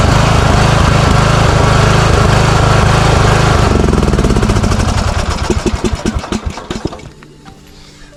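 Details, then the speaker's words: Craftsman riding mower that surged and backfired, running on an external tank of fresh fuel: rough, uneven running, then sharp separate pops as it winds down. It is still backfiring; gas was left in over winter, and the carburetor gets replaced. "Okay. So, it's still backfiring."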